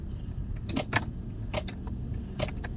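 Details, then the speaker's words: Daihatsu Grand Max, ignition on with all indicators lit: sharp single clicks with each start attempt but engine never cranks; likely cause worn-out starter carbon brushes, also check battery, fuses, socket: starter clicks but does not crank. "Nah, dia hanya ada bunyi stack-stack saja tapi starternya tidak mau berfungsi, Rekan-rekan."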